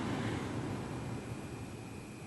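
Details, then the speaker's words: 2007 Mercedes ML350 blower motor retested after repair for a no-blower, no-heat fault, climate in auto with fan speed clicked up to maximum. Soft, steady rush of air with even hum, no rattles or squeals; blower works properly. "then you click your fan speed up measure from here this works properly so that's the maximum and that's it"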